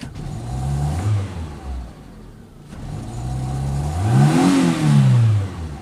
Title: Fiat Punto mk2 1.2 16v rough idle